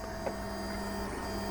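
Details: JGMaker Magic 3D printer, bed at 50 and nozzle at 200, printing from SD card after first-try leveling: quiet, even motor hum with steady tone, no clicks, skips or grinding; first layer printing normally.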